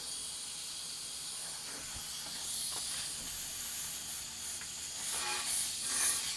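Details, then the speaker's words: 1983 Kenworth K100 cabover, first drive in years, airing up the brake system; a steady high hiss with no engine running. Compressed air is leaking at a fitting. "so the only thing i hear leaking now is this fitting"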